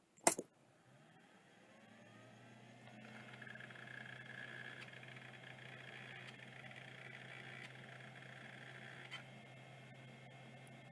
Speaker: uh again bearings sound beautiful drive sounds like it's working